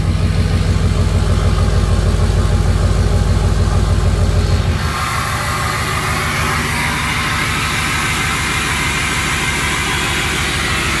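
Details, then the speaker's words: 6.0 Powerstroke diesel, still a little cold, with the VGT smoke switch on so the turbo works normally: steady diesel clatter at idle, then a smooth airy whoosh as the turbo spools. Normal turbo operation. "Still a little cold. Got the turbo spools."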